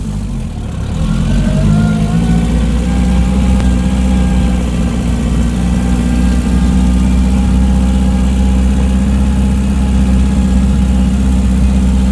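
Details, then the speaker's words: Barn-find Zastava 850 (850 cc) after ignition work (new coil, points), driven in second gear at about 30 km/h: the small engine runs smooth and even with no knocks or misses; only a slightly sticky throttle pedal. "so the little car running lovely uh I got a bit of a sticky throttle pedal but I don't mind that"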